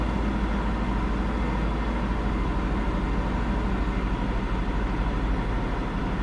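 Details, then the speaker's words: Isuzu in winter, just reassembled (throttle and cruise cables, coolant lines, air intake), with the battery disconnected a few seconds before starting: fast, steady, loud drone with no misses; the idle is slowly dropping but still much higher than it should be. "well so far not good the idle is slowly coming down but it's much much higher than it should be at the moment so I may have to reset the battery again"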